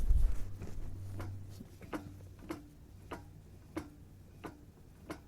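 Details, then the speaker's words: Front-wheel-drive car jacked up: light sharp clicks about every half second as the CV joint is rocked by hand, showing play in the CV joint, adding to total driveline play. "затем проверяется люфт с другой стороны пробуем пошатать гранату"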